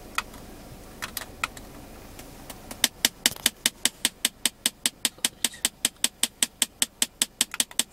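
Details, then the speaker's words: Nissan Primera P12, climate/AC on: sharp, dry ticking at about 2.5 per second with a faint fan hum. It knocks only with airflow to the face vents and stops on the feet or windshield settings; cause unknown. "при включении кондиционера появляется стук нас тут происходит только при обдуве вперед то есть на человека"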